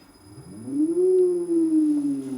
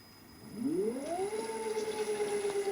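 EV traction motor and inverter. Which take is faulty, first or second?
first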